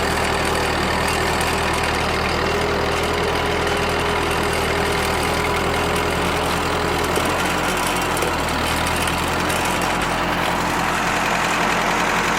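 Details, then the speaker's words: Rebuilt Ford tractor pulling in high gear on the driveway: steady, even engine note, no knocks or misses; burns clean after the rebuild, performing well. "oh definitely happy with the uh the performance i said you can see uh she burns clean"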